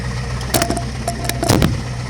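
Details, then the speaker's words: Yard wrecker on jack stands with a jack under the transmission: rough idle with loose metallic knock and rattling clanks, like something trying to fall off; louder knock is new, cause not pinned down. "Because that louder knock that you hear, that's new. It doesn't sound good."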